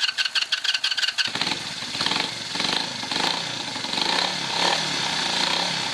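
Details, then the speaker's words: 1981 Yamaha XS400 twin not run for about 13 years, on a jump booster, carb leaking fuel, possibly from a poorly sealing float needle: about a second of rapid starter whirr, then it catches into a steady, slightly rough idle. "Ça tourne. La vignette est de 2007. Ça veut dire que ça doit faire 13 ans qu'elle n'a pas tourné."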